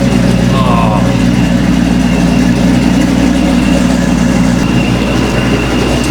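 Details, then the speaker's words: Chevy C10 parts-runner truck with a 3-inch exhaust dumping just behind the rear end, recorded from the back: deep, loud, even V8 burble at idle with regular firing and no misses or knocks; healthy. "yeah this thing's so loud my wife can hear it when I get close to the house"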